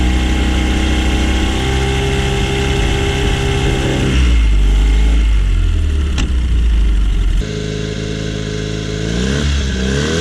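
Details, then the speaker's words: Honda 9.9 outboard, long-sitting, after cleaning plugged carburetor main jet (previously would only run on starting fluid): runs smooth and even at steady beat, picks up revs briefly and settles without stumbling or missing; normal running. "Alright, let's try to make this carburetor just a little better. It's running pretty decent."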